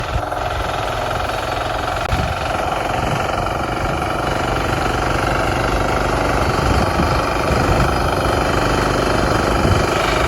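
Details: Lifan C192F single-cylinder engine in a mini tractor built from a LuAZ, after key (shponka) repair: loud, steady thump at roughly two beats a second with no knocks or misses; runs evenly.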